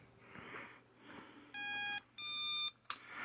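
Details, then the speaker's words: Flight stack ESC, on power supply after an in-flight power loss and crash: pairs of shrill electronic tones repeating as the flight controller reboots over and over; repeated ESC beeping with reboot loop, cause unknown. "When I go to turn it on, it does that beeping, but with an FC on it, it just keeps restarting over and over."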